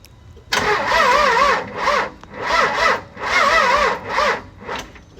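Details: Second-gen 24-valve Cummins truck, not cranked in a while, Air Dog 165 fuel pump: several bursts of brisk, even cranking rising and falling with each compression; starter spins strongly on two good batteries.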